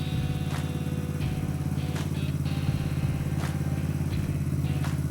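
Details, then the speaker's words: Dixie mini bike resembling a Honda Z50, an auction find, on first start after its engine, carburettor, CDI and regulator were fitted, without choke: quick, steady low single-cylinder putter with no stumbles. Normal idle. "Oh, holy Look at that run. I didn't even use the choke. No way."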